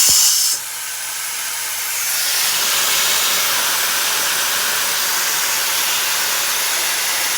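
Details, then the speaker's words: MCI 7 coach: a loud, steady hiss of air escaping from the alternator belt tensioner's air cylinder, which leaks even with the switch off. Air passes through it and exits the switch's exhaust valve. "even one from the off position it's leaking if you Jiggle It just right you get to stop but it's actually the cylinder that's leaking"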